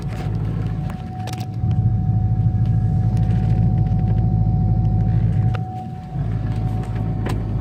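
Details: C5 Corvette Z06 while driving, heard in cabin: thin steady whine at constant pitch above heavy road and engine rumble; origin unknown.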